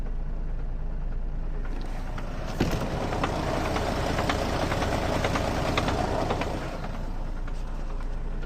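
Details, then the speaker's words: Mercedes Sprinter diesel, warmed up, idle hunting about 30 rpm with a swelling beat and light knocks from a worn dual-mass flywheel; pressing the clutch steadies the idle. "То есть у нас в какой-то момент начинает Шама маховик начинают там гулять обороты и гуляют подаче там достаточно прилично"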